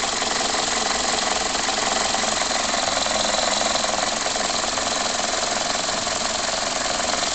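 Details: 2004 facelift Toyota Corolla E12J, 1.6 VVT-i 3ZZ-FE petrol: raspy idle with a fairly regular shake about 162 per minute, thin on bass; rough idle, cause unknown.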